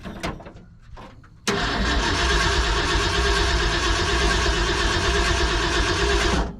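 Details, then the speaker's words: 1970 Ford F-250 field-find, first start with Ford 2100 carburetor: brief crank, then the engine catches and runs rough about five seconds before dying; not getting fuel, owner suspects the carb float. "boy it just doesn't like to keep running does it I think we need some might even be the float folks"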